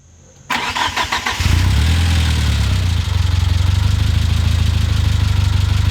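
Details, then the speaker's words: Mitsubishi Eclipse GS-T 4G63 turbo engine, start after a head gasket replacement following overheating, brake booster vacuum line reconnected: short crank, then it settles into an even, low, steady idle, with faint ticking now quieter than before. "Replaced the head gasket without screwing up on an engine I've never worked on. That's awesome. It also sounds like the ticking's better."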